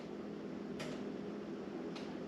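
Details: Sligh grandfather clock bought secondhand, locked case, owner unsure if it works and assumes it hasn't been oiled: soft, even ticks just over a second apart against a quiet room hum; the pendulum movement is beating steadily.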